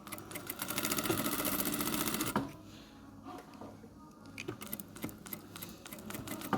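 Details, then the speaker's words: Sewing machine after fixing a jerking, knocking bartack lever: quick, even needle clatter then single stitches with no knock or vibration; sewing normally. "проверяем нету никаких порон посторонних шумов ничего не вибрирует ничего не стучит машинка шьёт хорошо"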